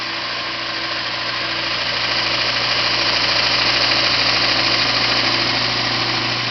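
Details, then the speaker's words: Yard-sale VIEL 1x42 in belt sander/grinder with replacement motor, added switch and new rubber feet: steady hum with even high belt hiss, no rubbing, knocking or bearing whine; normal running. "Anyway, I'm going to turn it on and let you see it run. It's a sweet little unit."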